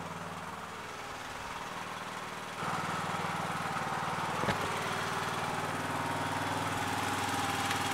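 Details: Yard Machines MTD lawn tractor, 20HP Briggs single-cylinder OHV, after magneto bypass and oil/filter change, idling to settle: even putter picks up a little speed partway, no misses or knocks; running normally.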